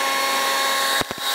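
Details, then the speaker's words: DeWalt DCBL720P1 20V brushless handheld leaf blower at full speed during sound-level test, SPL meter around it reading about 90–93 dB: loud steady high rushing whine, a few thumps as moved; running strong and normal. "turn it on now nice we're getting 92-93 here pretty much no matter where we go around it we're getting around 90 ish"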